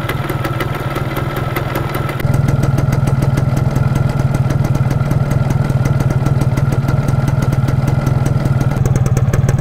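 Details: 1999 Yamaha F1ZR Limited Edition two-stroke, restored, idling on the stock unmodified exhaust with standard oil-pump setting and thin smoke: crisp, steady fast even rattle, catches cleanly and settles without misses or surging; smooth and healthy.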